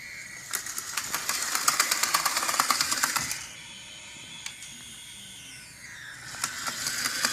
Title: M.A.S.H. Locomotive HO Scale CLATTERING NOISE IN REAR! 3-10-2014